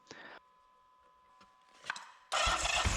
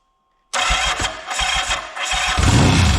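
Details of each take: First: 1979 Yamaha XS750S, rebuilt engine that failed after about 50 km, after wiring, fuel, carburettor and timing advance repairs with the advance plate refitted; cranks a couple of times, catches at once and runs strong and steady; normal start and rev. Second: 1979 Yamaha XS750S after rebuild and new timing chain with tensioner reset: engine catches abruptly into uneven lumpy idle; ignition timing over-advanced beyond the F mark because the advance mechanism is seized in a semi-advanced position.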